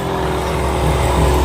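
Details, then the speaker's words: Agricultural spray pump motor after repair and reassembly with greasing, test run: steady drone rising slightly as pressure builds, smooth with no knocks or rattles; running normally. "हमारी machine कितना अच्छा है! दबाव का निर्माण कर रहा है।"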